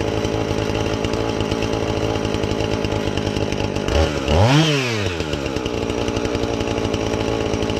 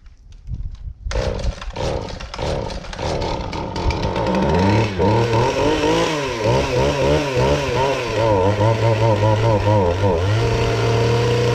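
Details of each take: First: Husqvarna 450 X-Torq chainsaw that wouldn't run, new chain and bar fitted, started to check and adjust the carb (special adjusting tool bought): steady high rasping two-stroke with one clean rev that settles back, no stumbling or surging; normal running. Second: Husqvarna 450 X-Torq chainsaw: after several pulls it catches, then surges and sags with a wavering, uneven rev. It runs rough and the cause is not yet found.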